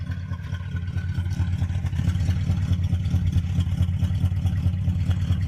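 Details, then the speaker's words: Oldsmobile "Sweet71" after a cold start, now warm enough that the usually high idle has dropped low: a deep, even burble with a soft regular pulse and no misses or ticks, recorded from outside the car. Owner says it's purring. Normal warm idle. "it's been a long time since she's come down that low she's purring here I'll get out let you hear she's purring listen to this listen to her purr she's happy"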